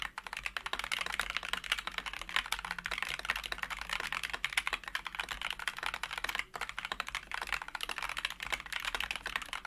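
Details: Wooting keyboard with Flaretech switches, lubed and filmed, sound-tested on a new desk: fast, even run of soft, muted keystrokes with no scratch or spring ping; smooth, well-lubed switches.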